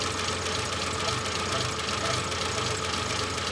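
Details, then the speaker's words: Renault 25 V6 Turbo started after winter storage, held on throttle, idling very low and uneven with loose irregular pulse under steady hiss; idle control valve suspected shut or defective, linked to a burning ECU issue. "I'm just going to try to keep it on the uh throttle for a [Music] [Music] bit it's idling very low it's not burning just yet I wonder if it's doing"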